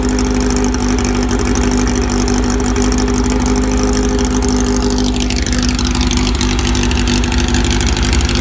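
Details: VW air-cooled 1835 flat-four with new 44 carbs and K&N filters, 120 cam, stock rockers, straight-cut gears and Bugpack stinger exhaust: steady even exhaust beat with a rising throttle sweep near the end, running healthy.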